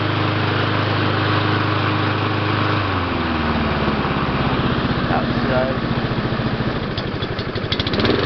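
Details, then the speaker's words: Mountfield 533 self-propelled petrol mower, RM55 OHV 160cc engine, started on choke: starts first pull and runs smoothly, pitch dropping slightly as it settles off choke into an even, steady beat; healthy. "Start it on choke. It's here. The lever comes in like that. Quite easy to pull. Starts first time."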